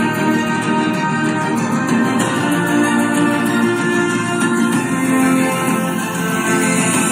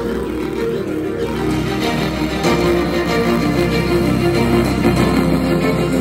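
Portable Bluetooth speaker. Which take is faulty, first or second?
second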